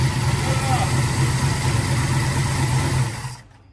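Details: 1986 Chevy Caprice V8 started for first time in 2 years after rebuilt 400 turbo transmission install, new Accel plug wires: catches and settles into even rumbling idle about three seconds before shutoff, no knocks.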